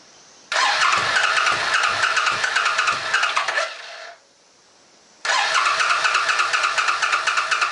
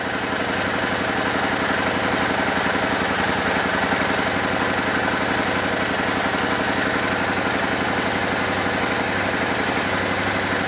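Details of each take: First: Old Suzuki Boulevard sat for years, fuel on reserve, choke on: two spells of steady starter cranking about three seconds each, never catching; fuel then pouring from rear carburetor vent, float suspected stuck open or damaged. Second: Old Suzuki Boulevard V-twin, sat for years, after vacuum synchronization: smooth, even idle with steady loping beat and crisp throttle response, no misses; carbs synced and in tune.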